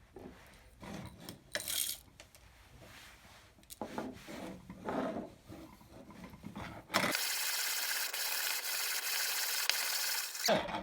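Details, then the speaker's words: 1950s-era CA Lehnartz manual conical burr coffee grinder on its finest setting, burrs just touching, grinding 7 g: dry rasping that comes and goes with each handle turn, then a steady gritty hiss, about 50 turns for a fine espresso powder; normal, unlaboured grind. "We've got about 50 turns of the handle, which for me makes it kind of medium speed grinder."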